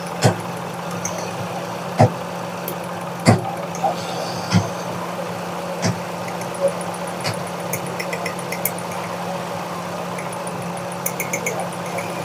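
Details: Car with recurring missing and jerking (plug cleaning only helped briefly), coolant low: steady idle with irregular sharp pops as a cylinder drops out; head gasket blown between two cylinders. Misfire from blown head gasket.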